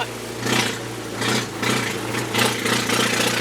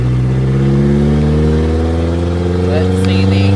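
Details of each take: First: 1999 Mazda B2500 with restored 1999 Ford Ranger 2.5L engine, test drive; deep steady burble with loud raspy exhaust pulses from a glass pack muffler that just ends under the truck, not pointing out; owners smelled fuel, running rich; loud exhaust. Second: 1999 Mazda B2500 with a rebuilt 1999 Ford Ranger 2.5L engine, on its first test drive at around 55: engine note climbs smoothly through each gear with brief dips at shifts, no stumble. Sounds more powerful than it is.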